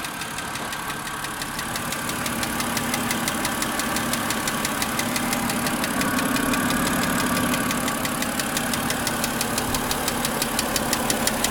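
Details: Car engine restarted on a chilly, cloudy day: sharp, even tick about three per second at idle, louder as revs rise slightly; owner thinks mechanical, disappears after 15-20 minutes; cause unknown.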